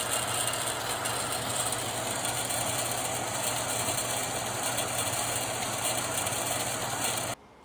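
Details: Lortone 3A rock tumbler after squeal fix with roller bearings keeping the drum centred: steady even churn of rocks with soft rolling hum and no squeal, drum running smoothly.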